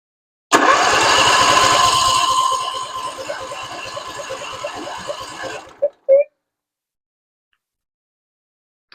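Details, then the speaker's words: Husqvarna RZ46i zero-turn mower, no fuel in filter, battery getting low: steady crank about 3.5 turns per second slows as battery sags, never starts; owner suspects cracked fuel part or clogged filter. "I don't have any fuel. I bet you this thing is cracked right here."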